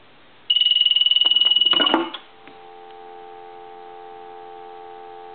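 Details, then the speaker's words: Military TA tactical field telephone after repair conversion, final checkout; piezo ringer turned back on gives a sharp high buzzing ring warbling about four times a second, then a steady dial tone follows; normal ringer operation. "Anyway, I'm going to turn the ringer back on."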